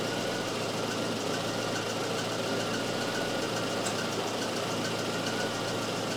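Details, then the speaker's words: Volvo 244 idling during a Sun tester cylinder balance test: steady, even idle with a smooth, unbroken hum and no misses or knocks; per-cylinder RPM drops are very close, so cylinder balance is good. The owner's head-gasket worry is doubted. "wow oh it's close it's really close that is impressive"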